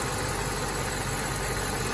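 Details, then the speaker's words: 2003 BMW 745Li E66 V8 at idle: a constant airy hiss over an even idle, coming from underneath, and the sound changes when the oil dipstick is pulled. A leak hiss whose source is not yet found; the owner is still investigating. "apart from there's a there's a hist coming from under there you can hear it but when I pull the oil dipstick changes watch"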